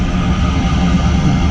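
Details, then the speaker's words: New gas power-vent water heater, PVC vent pipe temporarily mounted, heard at the outlet: steady low rushing roar with no rattle or pulsing, exhaust warm, not hot; a little louder than expected but normal venting. "but otherwise you can hear the wind blowing out from that and it's worn I mean it's like"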